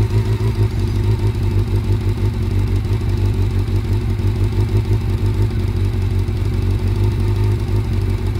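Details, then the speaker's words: Honda CB400 Super Four at fast idle after head gasket replacement: loud, steady low run with uneven chuffing pulse; owner says it still has blow-by despite the new head gasket. "Nagpalit na ako ng head gasket. Ang problema, nag-blow by. Ang putik, blow by pa rin eh."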